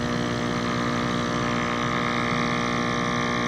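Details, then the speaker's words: Active Aqua hydroponic air pump after fix (shelves snipped with scissors, zip tie to stop sliding back), running on low: quiet, steady hum with even fast buzz, no rattle or grinding; you can barely hear it. Normal running. "now it's on low you can barely hear it"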